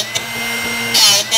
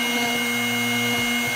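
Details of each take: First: Drill Doctor 750x drill bit sharpener, owned about a year: motor whirring with short hissy grinding bursts as the bit is rotated; sharpening not yet complete while grinding continues. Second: Drill Doctor 750x sharpening a drill bit near the end of the process: steady motor hum with just two brief light scrapes from the wheel. Only slight contact remains, so the bit is nearly sharpened.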